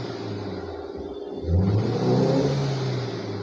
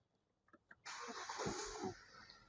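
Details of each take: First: Hyundai car (after rat-chewed wiring was repaired) revving: choppy, uneven, stuttering pulses instead of a clean rise, misfire counts showing on almost all cylinders; a faulty ignition coil is suspected of causing the misfire. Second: Hyundai car with rat-chewed wiring repaired and ignition coil cables refitted in correct order after misfire: quick crank, then the engine catches cleanly and runs smoothly with no stumble or misfire; misfire resolved.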